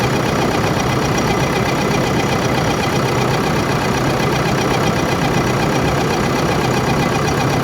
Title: Engine Abnormal sound Part-01 |JBCO2|#shortvideo #engine #trending